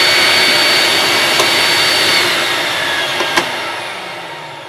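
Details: Electrolux Z5010 Excellio vacuum, sold as brand new but in poor condition, exhaust filter missing, running at maximum: a loud, steady, high-pitched rushing whine. Noisier than it should be; owner suspects the missing filter and notes a farmyard smell.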